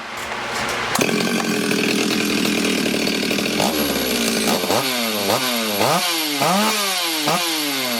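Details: Stihl 026 chainsaw with ported engine, restart test; fires straight up, holds crisp high idle, then clean repeated rev blips; healthy.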